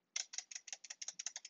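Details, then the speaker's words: GK64 aluminium hotswap mechanical keyboard, Gateron Yellow switches: about a dozen quick, thin, tinny clacks rattling on release, worst on one side of the spacebar; cheap plate-mounted spacebar stabilizers rattle. "you see like how the spacebar step is not that bad as long as you press it of course if you start doing this you can see especially this side a lot of rattle but your press here it's not terrible but listen to this thing Jesus Christ"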